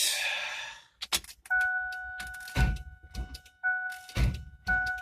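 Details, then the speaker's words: Vehicle with fully charged battery and new starter and solenoid won't crank: warning chime, then short heavy clunks that stop at once with no cranking rhythm and no clicking; a seized belt-driven accessory was stalling the starter, fixed by removing the serpentine belt. "is that I turn it and it just kind of ceases it's a mask in the Internet what kind of starter sound is that"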